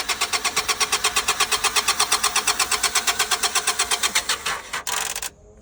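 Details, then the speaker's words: 2000 Honda Accord at an auction yard, jump pack hooked up: steady starter churning at nearly three turns a second with no catch or firing. Cranks but won't start; lack of fuel suspected, though it reportedly just ran. "Doesn't sound like she's firing at all. Said he just had it running. Doesn't sound like she's getting any fuel."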